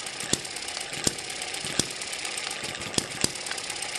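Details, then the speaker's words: Eachine ET7 (same as M94) model hit-and-miss engine with weaker, stretched governor springs, running just over 900 to 1000 rpm: sharp single pops roughly once a second, unevenly spaced over a light steady whirr, a normal healthy hit-and-miss cycle. "i've stretched those springs a little more now it sounds like a hit under 1000 rpm"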